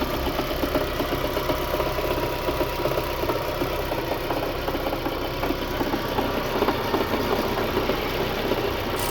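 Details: Lada 2110 8-valve engine: steady idle with an uneven tapping knock, roughly two to three per second, over the engine hum; engine knock, cause not evident.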